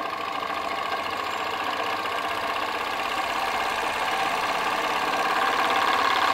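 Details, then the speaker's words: PM Research glass Stirling engine (Solar Engine #7) with the Baker fan load lifted off: even smooth whirring that speeds up and grows louder as the flywheel reaches about max speed, internal piston moving fast; normal running at full speed. "it's picking up that's about the max speed now you can see how fast that internal piston is going there"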